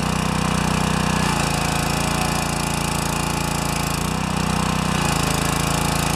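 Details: Pressure washer with 4 HP vertical-shaft engine and newly replaced pump, slightly too big for the motor, after pump collar adjustment runs steadily, note dipping briefly under pump load then recovering; runs properly.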